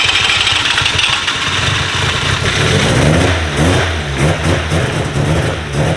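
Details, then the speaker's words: Rotary engine, first cold start with new 4-inch exhaust with resonator and two mufflers, no exhaust hangers yet, idling around 1200 rpm: busy even burble with slight rev swell midway, no knocks or rattles; healthy cold idle. "it's good it's good this sounds normal I can actually hear myself think now that's what I'm saying it like it sounds so normal it's an even phase of it"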